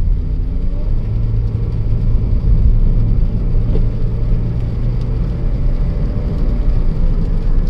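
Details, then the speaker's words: Honda Jazz petrol after ignition coil/spark plug fix for a misfire that limited revs at 3500 rpm, road test: steady low drone pulling evenly with no stumble or cut-out; now revving correctly. "இப்போ வந்து நல்லாவே இப்போ கரெக்டாக race ஆகுது."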